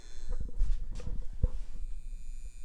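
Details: New LED bulbs on an old dimmer at maximum setting, mic right at the bulb: thin, steady electrical buzz with a high whine, partly masked by handling bumps; the incompatible dimmer is the cause, and the fix is an LED-compatible dimmer.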